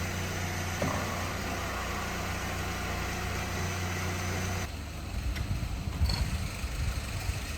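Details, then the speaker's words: Saab 9-3 with automatic transmission, fluid clean red: steady idle drone whose tone roughens when engaged in reverse and drive, not in neutral; owner suspects torque converter or transmission. Transmission noise in gear. "I can hear it's making some sort of noise in drive. It's reverse. Neutral. Drive. So reverse and drive are making the noise."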